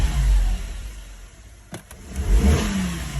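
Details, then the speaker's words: Engine misfire under load on a car just started after a low battery: holding the throttle up gives choppy, stumbling revs that dip instead of pulling clean, and the engine light flashes; codes read random misfire on cylinders 2, 4 and 6, with a fuel pressure regulator message. "when I uh hold the gas up the engine light starts flashing and saying it's got a misfire basically"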